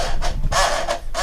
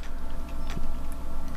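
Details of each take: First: Panasonic 3DO FZ-10 with seized laser sled motor, after WD-40 and too much silicone grease on the gears: disc drive gives a rough scraping grind in surges about every half second while loading a game, sounding worse than before; binding suspected. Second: Panasonic 3DO FZ-10 after the seized-motor and grinding repair, microphone near the console: a quiet hum with light clicks and a brief soft seek whirr while a game loads, no grinding or stuttering; normal disc loading.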